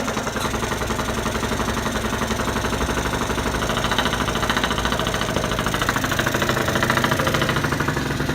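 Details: 2014 Genuine Roughhouse 50 two-stroke scooter, kick-started cold at about 30°F right after a top-end rebuild (cylinder, head, piston, rod, bearings, gaskets): a fast, buzzy idle with a steady crackle and no stumbling. Running properly.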